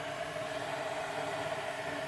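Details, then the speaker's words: Keurig coffee maker reported not shutting off water, now working, opened up: tank heating up with soft steady steam hiss and faint hum, no clicks or rattles; circuit board clean, normal heating. "can hear that baby heating up it's coming up to temperature I don't know 192 degrees I saw on some of these units"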